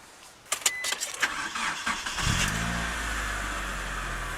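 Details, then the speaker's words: Stock Mitsubishi Lancer Evo III, recently maintained: a few clicks, brief crank, catches at once into smooth steady idle; normal start and idle. "as you can hear, sounds all good."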